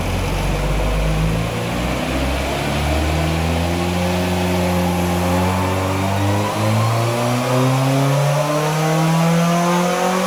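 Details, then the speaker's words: Skoda Felicia rally car with Polo GTi ARC engine on throttle bodies, rally exhaust, straight-cut gearbox, dyno run from front: pitch rises steadily under load but turns uneven, wavy near the top; flat spot, compression questioned, cause unconfirmed. "It feels good when it gets going, but then as it gets near the top, it starts to get a little bit wavy."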